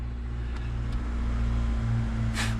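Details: 1997 Honda Odyssey van just after fuel pump replacement: engine catches and settles into a steady, even low idle with no knocks or misses; running healthy after repair.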